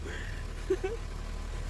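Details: VW Golf 3 (Mk3) that would not start, after repair of the ignition system (coil, plugs, distributor rotor replaced by owner; Hall sender faulty): low, steady idle with no misses or stumbles; engine starts and runs evenly.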